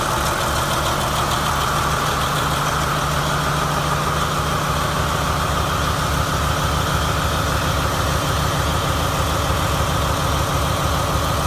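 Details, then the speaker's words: 2017 Marathon 2250 kW MTU diesel standby genset, 1800 rpm, 60 Hz, 12,750 V, new condition with 3 hours runtime, run from a temporary diesel tank: steady, even low rumble at idle, no knocking or hunting; checked and running normally. "Checked it out. Everything seems to be normal and running properly. It has a total of 3 hours of runtime on it."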